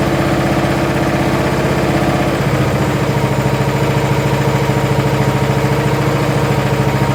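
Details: Curb-find John Deere SX75 riding mower engine, after sitting: steady even low thrum with no misses or knocks, smokes a little (owner unsure if from sitting); idles smoothly despite a suspected switch or starter solenoid electrical issue.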